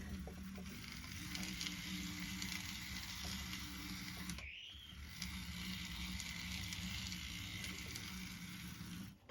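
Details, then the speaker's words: Bachmann Spectrum 44-tonner locomotive, dual motors, converted from DC to DCC with TCS MC4 decoder, on test track: steady low motor hum with light wheel clatter, even pitch, no grinding, both motors pulling smoothly; normal running. "so show how she's running which is pretty good"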